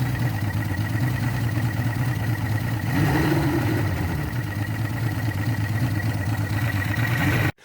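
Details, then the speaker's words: Yamaha 225 hp outboard with block holes repaired with JB Weld, #6 piston previously replaced, extra oil added for break-in: running in neutral, even and steady with no knocks, though the owner isn't sure it's firing well. "i'm not sure it sounds like it's firing real good but it's still in neutral"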